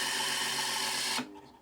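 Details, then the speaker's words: Rattling racket during fast wind of a BASF LH cassette with screwed shell; busy buzzing rattle cuts off abruptly as tape reaches the end, likely loose hubs chattering. "yeah it start to make a quite racket again as it's getting to the end of that or to the to the forward end of that"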